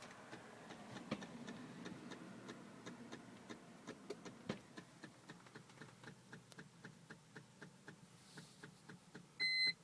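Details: 2004 BMW 325Ci no-start: steady light ticking about two or three a second, then a short electronic beep near the end; engine never fires, cause unclear.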